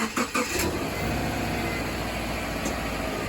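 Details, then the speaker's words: Subaru after serpentine belt replacement and tightening, started on a chilly morning: brief crank, catches and settles into a steady, even idle; steering wheel turned, no belt squeal. "but it sounds pretty good I am happy with that and I'm going to turn the wheel too just to make sure and we are squeak free baby"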